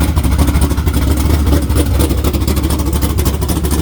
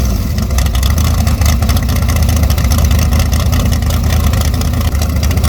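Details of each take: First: Naturally aspirated LS V8 in a Camaro with a cam under 240 duration and a carburetor, very healthy with good ring seal: deep, choppy lope with snappy throttle blips; strong, rowdy, healthy cammed engine. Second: Short-stroke big-block Chevy built for twin turbo, first fire-up at 18 degrees outside, revved to 6,000 rpm; deep rough note, soggy and super lean because the carburetor is too small with too little pump shot.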